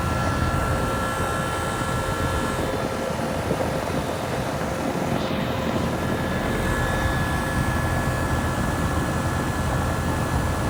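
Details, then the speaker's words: 2007 Rheem 1.5-ton air conditioner with a reciprocating compressor, just after startup: even, steady hum with a constant whir over the fan noise, no knocks or surging; the compressor runs smoothly. "now listen to this monkey what a nice sounding reciprocating"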